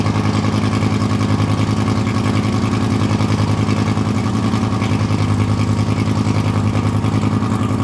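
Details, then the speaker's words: Fire-damaged Lamborghini Gallardo LP520 V10 during repair, first start after refilling oil and fuel: lumpy, uneven idle with stumbling exhaust pulses, one side blowing much stronger than the other; misfire, not on all cylinders, a leaking injector then found. "He's already doing better, but I don't think he's running on all cylinders, because here it's coming out really strong, and here it's not."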